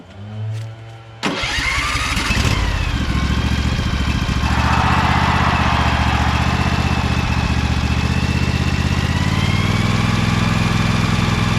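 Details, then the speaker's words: Briggs & Stratton Vanguard 23 hp V-twin on a Little Wonder hedge trimmer, running after primer bulb replacement and carburetor clean, still on choke: cranks briefly, catches, then settles into a steady even low putter with no misses or knocks; normal idle. "that's idle that sound good it's still on choke house"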